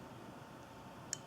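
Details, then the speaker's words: Volkswagen driver door lock module on the bench, cam turned to lock: one crisp click as the second of the two microswitches closes, signalling the lock position; clean, normal switch action. "there's the other switch so it just made okay so we can hear the two micro switches in there one there and one over here"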